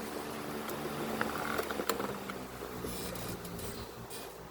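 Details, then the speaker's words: Duracraft 12-inch desk fan after cleaning and partial service, running on low with blades fitted: steady, even quiet motor hum with no scraping or labouring, faster and smoother than before; bearings sound free. "Okay, so I had just tested it, and it sounds a lot smoother."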